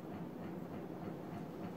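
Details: 50-inch Casablanca Panama II ceiling fan made 2000, Comfort-Touch control; low rough hum with regular rumbling pulse about four times a second, noisy motor, owner suspects bent shaft or board, bearing seemed fine.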